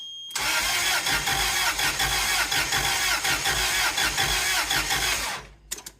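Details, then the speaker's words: Toyota forklift (about 3K capacity) running on propane, with a 4Y engine said to have been seized and bound for the junkyard; its plugs are heavily corroded. The engine catches and runs roughly for about five seconds, then cuts out. It starts but won't keep running; cause not confirmed. "Let's see what happens. We're getting a little bit of fire out of it now."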